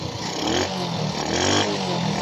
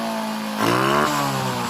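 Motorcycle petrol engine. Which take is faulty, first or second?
second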